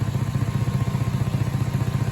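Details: 2008 Audi A8L W12 at steady low idle with a quick rhythmic puffing under the car that doesn't let up. Exhaust is leaking at the flex pipes and resonator, a preexisting leak that passed safety inspection; all four flex pipes need replacing.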